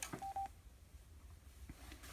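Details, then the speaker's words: Eton Grundig Edition Field BT radio switched to Bluetooth mode: a short clean electronic tone pair over a quiet room, then silence. This is the normal chime meaning it's connected. "You can hear that noise there, it means it's connected."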